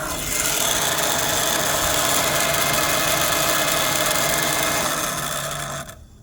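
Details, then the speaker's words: 2005 Mini Cooper, noise sometimes key on engine off, sometimes engine running: loud harsh rasping grind with faint steady hum, then cuts off abruptly, loud inside; suspected power steering pump cooling fan, not confirmed. "got this Mini Cooper with the noise sometimes key on engine off sometimes just engine running I suspected that guy it's power steering cooling fin start it"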